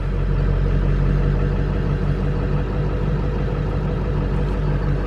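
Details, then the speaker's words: 1999 Ford F350 7.3 Powerstroke diesel, dead-cold engine (ice-cold exhaust manifold) after one glow plug cycle, after Melling M208 high-volume oil pump install: starts immediately into a deep, steady, even clatter, oil pressure right away; healthy cold start. "That's pretty good. We're getting oil pressure right away, and I can tell it's just a lot crispier. It would not start like that before."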